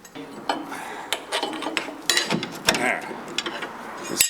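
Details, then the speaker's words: Bentley T2/Rolls-Royce Silver Shadow, about 90–95k miles: sharp, irregular metallic clinks as the loose suspension arm is rocked by hand during removal. The slop in the worn control arm bushing is the car's knocking noise; bushing being replaced. "Look at the slop in that. Yeah, that's their knocking noise right there. You can hear it."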